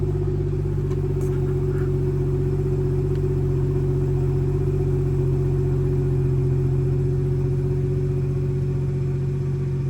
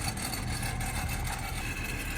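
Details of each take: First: BMW B58 with valve-actuated exhaust after replacing the broken exhaust valve actuator bow spring (part 18307620323) and tightening bolts: steady, smooth idle rumble with flaps closed, no metallic rattle. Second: BMW idling with a dry, buzzy rattle on the exhaust note from the factory exhaust valve flap inside the muffler; broken bow spring of the exhaust valve actuator (part 18307620323), fixed by replacing the spring.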